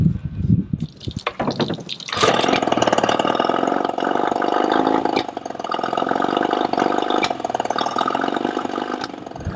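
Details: Yamaha 20 HP outboard catches, then idles with an uneven, wavering beat and occasional sneezes after swapping ignition coils made no change; lean misfire, suspected vacuum leak, cause still unconfirmed.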